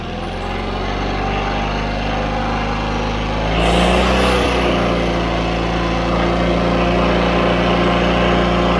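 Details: John Deere 317 riding mower twin, after carburetor cleaning (carb flowing fuel into the bowl, main jet clean), settles into an even, steady idle with no surging or dying; running properly.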